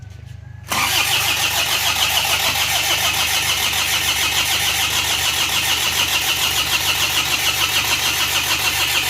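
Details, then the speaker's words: Diesel vehicle after engine block repair, started for a third attempt; it cranks on and on with a steady, even chug and no clean catch, and later starts once the injection pump timing is advanced. Hard starting. "Bismillah ketig yo kadang agak sulit seperti ini y yo starter"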